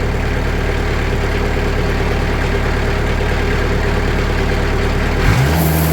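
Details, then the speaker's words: Sawmill engine after fitting 2 mm (80 mil) sound-deadening mat to the doors: steady smooth drone at increased RPM; panel still visibly rattles but no rattle heard, quieter than before. "It's quieter. You can see this is still rattling, but you don't hear it. That's impressive."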